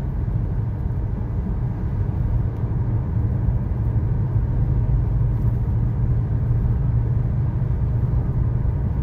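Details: 2013 Chevrolet Sonic, 75,000 miles, road test after replacing both front wheel bearings and the lower ball joints: even low road rumble at steady speed with no hum, growl or drone from the front wheels. The bearings sound healthy.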